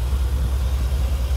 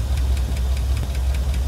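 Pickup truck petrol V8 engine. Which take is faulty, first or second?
second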